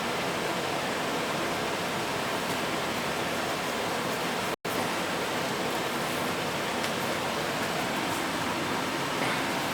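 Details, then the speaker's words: Gas furnace after a cleaned flame sensor, no door switch: blower comes on after a delay with an even, steady rush of air, no rubbing, squeal or rattle, burner not yet lit. Normal blower operation. "Okay, it's probably got a little delay in the fan action and whatnot, so it'll come on."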